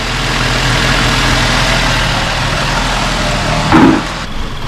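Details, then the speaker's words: 2007 Nissan X-Trail after a head gasket replacement with a reconditioned head. Low, even idle hum with a brief bump near the end and no ticking or knocking. Idle sometimes unstable; ECU may need an idle reset after earlier overheating. "and i put the new head return reconditioning and first up it goes straight away i'm very happy very quiet"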